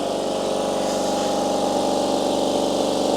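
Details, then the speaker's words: Compressor filling from 0 psi, mic about 150 mm from heads, 90–91 dB: steady, even pumping hum with a fast regular pulse, about four per second, no knocks or rattles; quiet enough to talk over, running smoothly. "90, 91 decibels. You definitely talk over the top of it, so it's not significantly loud."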